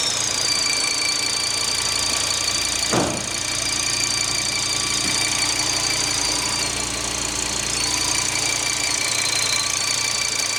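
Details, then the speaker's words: Audi TT RS Mk1 2.5-litre 5-cylinder salvage car, restarted after blocking off a vacuum line: steady high-pitched whistle persists while running; source not yet found, air leak or vacuum pump suspected. "let's start the old girl up see if we get whistly whistly"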